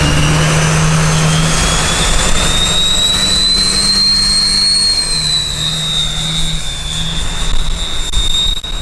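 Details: Duramax diesel-swapped Chevy K20 on its maiden drive after a fuel problem: strong, steady diesel roar with a clear turbo whistle, running evenly without stumbling or dying. Normal running.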